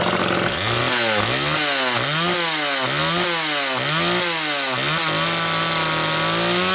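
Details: Small Homelite XL two-stroke chainsaw, on its final test run after the Zama C2S-H5A carburetor inlet needle spring fix and with a DJ7J plug: it revs up and down repeatedly, picking up cleanly each time, then holds steady; running properly.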